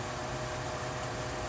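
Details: Over-the-range microwave vent fan motor, wired up on the bench with no load yet, intended for a ball mill and judged too fast; steady even rush of air, faint constant hum, no rubbing or ticking; normal running.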